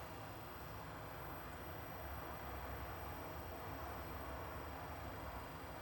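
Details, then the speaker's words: Newly installed diesel heater in a Leyland DAF T244 truck, a 12 V unit on the 12 V fuse box, first fire after priming with a strong diesel smell: steady low rumble and even fan roar, no knocking; runs smoothly. "We've just fired it up now, see what happens. I can smell a lot of diesel."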